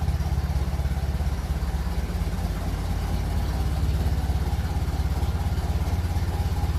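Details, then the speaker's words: 1957 Ferguson 35 TVO tractor on a cool evening: steady even low chug; runs normally. "so seems happy enough as I said it's not a warm evening"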